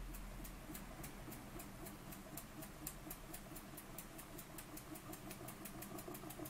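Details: Burnac Vulcan model steam engine running under steam: crisp, evenly spaced exhaust chuffs at three to four a second over a soft mechanical whir, running sweetly.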